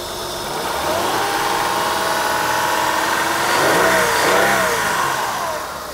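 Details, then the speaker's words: 2003 Honda Pilot 3.5 L V6, about 210,000 miles, needing a transmission and with a code possibly from a tampered intake air temperature sensor: smooth, even idle hum that swells and settles, no knocks, ticks or misses; engine sounds healthy. "anyhow we'll have to look into that further but otherwise it sounds good"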